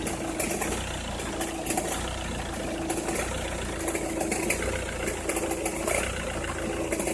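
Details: Opel Meriva, cold engine at idle: irregular sharp crackles popping over an uneven idle, only when cold or at very low revs, stops once warm; noise localised to one side, cause unknown.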